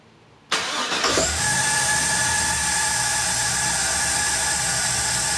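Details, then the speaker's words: 1960 Chevy Biscayne with LS engine swap, run briefly without a drive belt after filling coolant: the engine catches and settles to a steady idle with a thin constant high whistle, air hissing through the big throttle body and idle air control. Normal. "now high pitch whistling is just the big throttle body the idle air control motor kind of the air hissing through there"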